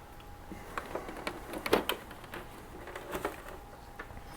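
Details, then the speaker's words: Sega CD Model 2 disc drive: quiet, irregular clicking and gritty rattles in bursts from the mechanism. Grinding; owner suspects a slipping belt or something stopping the mechanism from moving. "Sounds like either a belt is slipping, or some other thing is stopping a mechanism from moving the way it wants to."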